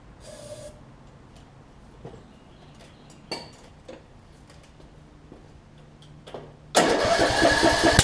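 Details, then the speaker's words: 2007 Craftsman LT2000 riding mower, Briggs and Stratton engine that sat a while, cranked with carb removed; scattered sharp backfire pops then loud catch; flywheel key suspected, not yet checked. "Alright, so it's backfiring still. So I think it is time to check the flywheel key on this."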